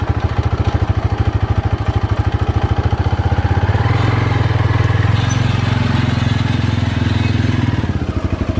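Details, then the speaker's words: Polaris Predator 500 ATV on test run after DIY carburetor cleaning: even single-cylinder thump at idle, rising a little mid-clip and settling back, smooth and regular; runs and performs well. "all right you guys we did a quick test run she sounds good she looks good well technically she ugly but you get what i'm saying but yeah she runs good she performs good"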